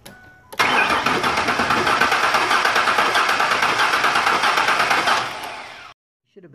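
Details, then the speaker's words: Crank-no-start compression check with the spark plug pulled. The starter turns the engine at a steady three-per-second rhythm with a faint compressed-air puff each stroke; compression is present and normal. "to hear a like a compressed air release sound it was kind of faint in the video"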